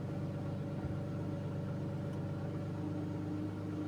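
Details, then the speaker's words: Car engine just after a cold start, stationary, VVT system grinding briefly at startup as expected: steady low rumble at raised idle about 1000 RPM, no knocks or misses; normal cold fast idle. "You can see it's still high. Right now it's showing 1000 RPM."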